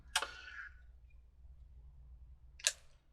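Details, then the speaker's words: Lemax Witch's Lair motorized figurine bought from a thrift store, witch missing: two sharp clicks about two and a half seconds apart from inside, but no lights and no movement. "I don't have any lights this is I hear clicking inside but there's no lights no movement"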